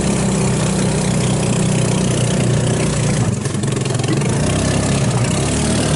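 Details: 150cc GY6 engine in Hammerhead off-road go-kart, after carburetor rebuild removing water and jelly contamination; steady, even single-cylinder idle with no stumbles or misses, running healthy.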